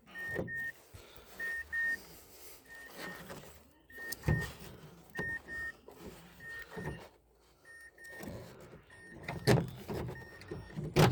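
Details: Mazda CX-7 power window after replacing the broken-tooth gear in the motor and its rubber dampers: short even whirring runs, steady pitch, no grinding or skipping; window working normally.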